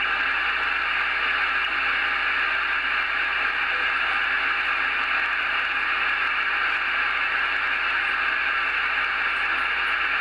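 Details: Icom IC-746 HF transceiver after completed repair of a no-power fault, powered up and receiving: steady even band hiss with no crackle or dropouts; normal receiver static, though filter settings may still need adjusting.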